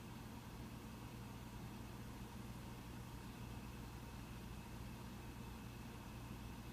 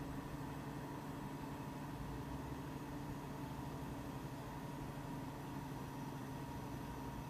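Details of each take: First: Mac Pro 1,1/2,1 with 32GB RAM running a multi-core benchmark, fans barely audible: low steady whoosh with faint hum, ramping up only slightly in the last half minute, still quite quiet; normal fan noise, system runs fine with 32GB. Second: Mac Pro 1,1/2,1 with 48GB using incompatible 8GB DIMMs under benchmark: loud steady rushing whoosh with faint hum, fans about double usual speed to nearly maxed despite temperatures a few degrees cooler; the RAM forces maximum fan speed.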